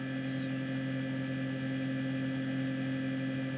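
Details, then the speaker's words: Two-door fridge, lower section reportedly not cooling: very loud steady low droning hum with rough slightly throbbing edge heard from the back — loud rough fan noise. "Dan ini suaranya nyaring banget ya, bisa dengar gak ya suaranya kayak gini suaranya. Kalau kita dengarkan dari belakangnya ya, suaranya nyaring banget."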